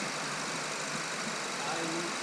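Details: Engine after cylinder head work and cooling system repair, radiator and hoses refitted, now holding temperature: warm engine idles with steady, even hum, no knocks or misses; healthy idle.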